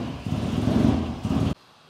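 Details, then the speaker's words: 2003 Dodge Ram, code P2172, running; rough uneven surging with no throttle response, engine note swelling and dropping, ignition coil visibly arcing to ground; coil and plug to be replaced: surging and misfire. "No throttle response. Waiting for a check engine light. This thing's surging like crazy."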